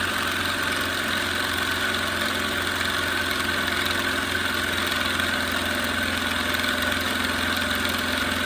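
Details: Small tiny air compressor test run after revival: steady even motor drone with constant hum, no knocks or surging, while building pressure; running normally.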